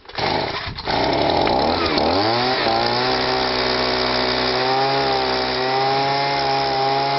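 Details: Stihl SH/BG 85 leaf blower that was choked up, wouldn't start or rev and spilled petrol from the exhaust. After repair, a rough start settles into a smooth, steady high whine with no stumbling or misfire, running as it should.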